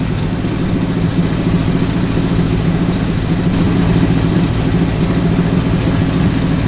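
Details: Ford Galaxie with 289 or 302 V8 (uncertain), just started, timing and carburetor secondary still unset: low, fairly quick burble at a steady raised speed, no dips or misses; fast idle, suspected timing, not confirmed.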